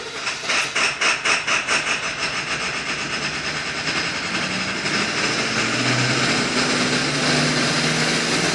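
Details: 7.3L diesel, hot: long uneven cranking at about two beats a second before it finally catches into a rough run; hot hard start, cause being investigated.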